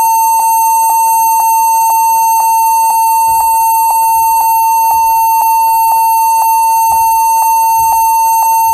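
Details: HP 14s-cf2 laptop at startup after Legacy Support was enabled in BIOS. Clear mid-high single beeps about once a second, repeating many times. The stated fix is to set BIOS to UEFI boot and use GPT partitioning on the HDD/SSD. Repeated BIOS beep pattern.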